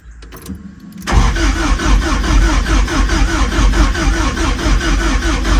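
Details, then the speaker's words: 41-year-old Porsche 944, in neutral: the starter spins the engine in a steady rhythmic chug but it never fires. The distributor cap was cleaned of spider webs and a stripped wire was found. "the engine turns over but we don't have no start mind you I don't have no fuel or no spark at all"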